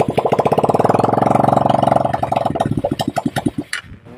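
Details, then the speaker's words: Motorstar 200 motorcycle with hard starting, lack of power and misfiring, before carburetor cleaning: idle starts around three beats a second, then slows, stumbles and dies even with idle set high; unstable idle, stalling. "kahit mataas ng Menor Parang mamamatay pa rin siya mamatay pa rin hinahabol pa rin hinahabol pa rin parang na-low down po yung Menor"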